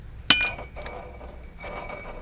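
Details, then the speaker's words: Mercedes 500E W124, during assembly: compressor pulley hand-spun; AC clutch activates but compressor won't engage, suspected wiring issue. Sharp metallic clink and light scraping as belt tensioner touches the pulley; moving tensioner stops noise, compressor bearing fine. "Okay, it's the belt tensioner is touching the pulley, so nothing is wrong with the AC compressor."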